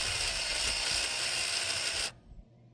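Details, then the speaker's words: 1955 Buick Super with 455 big-block on a 1973 Electra chassis: a small temporary electric clicky fuel pump, rigged to pull fuel because the long-sitting original mechanical pump wasn't pulling, buzzes harshly for two seconds then dies; better pusher than puller. "Well, I think I just killed this clicky clack because it doesn't work anymore. It died. These things are better pushers than pullers, and it just didn't work."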